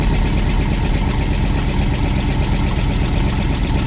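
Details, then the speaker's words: Long-sitting carbureted truck on fresh gas from its own tank and fuel pump, started with key, microphone down by the exhaust: deep steady rumble holding an even idle without stumbling or dying; normal idle. "holy guys it is idling on its own that's awesome"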